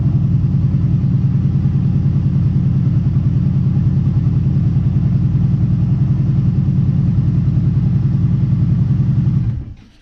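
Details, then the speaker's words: Kawasaki Brute Force ATV idling with the spark arrestor removed, sound meter around 65 at idle: steady, deep, loud open throaty exhaust thump about three pulses a second; exhaust running without spark arrestor. "alright looks like it was dancing around like 65 or so on idle and I'm gonna put it back in we'll crank it up see if it sounds in any quieter"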